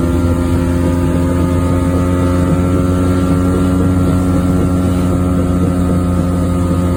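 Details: 1994 Geo Metro on a short drive: steady low droning hum holding under road noise while cruising; wheel bearing growl.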